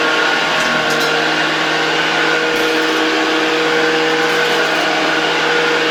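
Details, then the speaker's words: 1972 Hoover 1346A vacuum cleaner, fully reassembled and test-run in the workshop without a dust bag: constant motor whine with a smooth rush of air and no scraping, rattling or surging, so it runs normally. "a potem będziemy mogli przyjrzeć się „poważnemu” odkurzaniu tym odkurzaczem, bo dzisiaj właśnie sprawdziliśmy, że po ponownym złożeniu po prostu działa."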